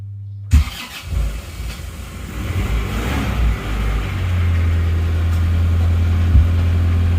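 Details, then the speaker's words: Isuzu Panther diesel, first start after the engine was reassembled: a few seconds of uneven cranking before it catches and settles into a steady idle; the long cranking is because the injection lines were still empty. "Bismillahirrahmanirrahim pasti sulit karena pipa panasnya masih kosong ya jadi agak lama seperti hidupnya"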